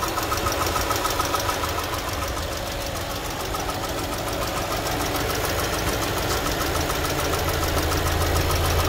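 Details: 2018 Mercedes-Benz A200 W176 with 160,000 miles (257,000 km), in park: steady idle with a regular knock about three or four times a second over the engine note; knock varies, cause unknown, coolant also leaking, no stored engine faults.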